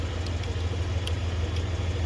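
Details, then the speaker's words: 1996 Dodge Ram 1500 (2nd gen) at idle: sharp, slightly uneven flasher relay clicks roughly every half second as the slow turn signal runs; owner suspects the flasher, replaced with an LED flasher. "Yeah, it's this. You can hear it flashing."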